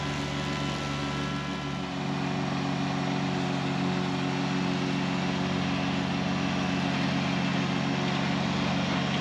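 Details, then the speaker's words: Kubota BX1870 diesel with 54-inch mower deck cutting tall thick weeds on steep hills: steady drone over blade whir sags briefly, then recovers; engine bogging under the heavy cutting load. "Now right here is the only time that I hear the engine bog down cutting these tall weeds."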